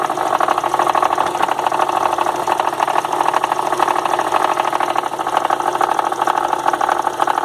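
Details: 2002 VW Golf 2.0 running: light, uneven knock about twice a second over idle that began after 1300 km of travel, comes and goes and stops when the AC is switched on; intermittent engine knock, source undetermined by mechanics.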